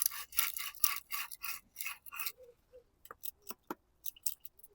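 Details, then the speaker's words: Audi A4 2.0 TDI (CNHC) water pump, removed during timing belt and water pump replacement and turned by hand: gritty rasping grinding as the worn, collapsed bearing shakes with excessive play. "The bearings shaking around, grinding. It's not in a good way at all."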